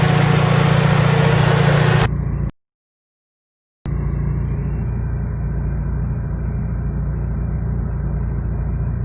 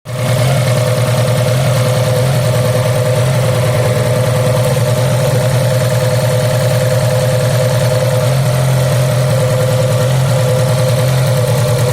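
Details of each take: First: Fiat Punto petrol engine, after idle shaking and single-cylinder misfire, tested next morning: steady, even idle with smooth low thrum, no stumble or shake; normal idle. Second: Fiat Punto 4-cylinder petrol engine idling with an uneven, lumpy beat from a cylinder misfire caused by a faulty high-voltage ignition lead, found by pulling leads one at a time; fixed by replacing the bad lead or spark plug.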